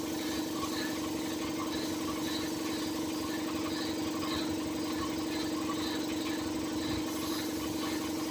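Engine idling with a steady mid-pitched hum and an uneven pulsing about twice a second from the compressor; source of the noise unclear.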